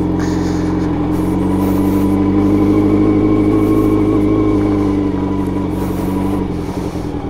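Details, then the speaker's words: Honda CB750 brat-style four-cylinder, first ride out after carb tuning, recorded riding aboard: smooth steady drone, even pulses rising and easing with throttle, no misses or stumbles; carbs well balanced. "Je vais vous embarquer avec moi sur la moto pour vous filmer sans que je parle. Comme ça, vous allez entendre le bruit de la moto en roulant."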